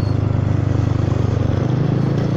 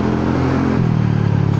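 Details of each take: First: Honda Forza 300 scooter riding at up to 80 km/h: loud, deep, steady exhaust drone with a throaty pulse, much louder than its usual soft note; the baffle insert has slipped inside the muffler; the rider holds back for fear of damaging the engine. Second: Honda Forza 300 scooter riding in traffic, engine hot, after the exhaust had turned loud: soft, low, even exhaust note rising a little with throttle, no rasp or blowing; the exhaust is back to its normal soft sound.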